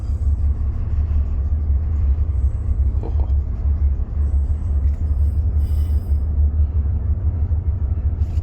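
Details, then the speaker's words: Ship MV Steve Irwin marine diesel engine after years dormant, revs slowly raised from bridge control to 650-670 rpm: deep, steady rumble with an even build, no knocks or misses; healthy. "now here we go I'm just slowly increasing yes I can hear it 650 670 excellent"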